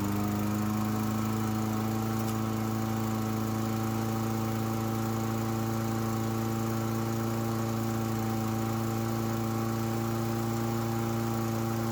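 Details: Toro Recycler push mower that only ran on starting fluid, after cleaning the carburetor jet with brake cleaner: smooth, steady single-cylinder drone holding an even pitch with no stumbles or surging; running properly.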